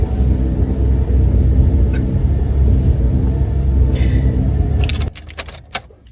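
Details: GMC Acadia hard start possibly caused by the vapor canister purge valve solenoid (EVAP codes, check engine light): deep, labouring churn drags on for about five seconds before it quits; long-crank hard start.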